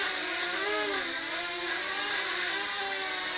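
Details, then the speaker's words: Blade 200 QX brushless quadcopter flying indoors with yaw rate at 100%: a steady high rotor whine with wavering, slightly grindy tones during yaw. Believed to be a normal resonance or electronic sound common to all units. "know kind of a grindy sound when it [Music] yaws but as far as I can tell that's normal and they all seem to do it"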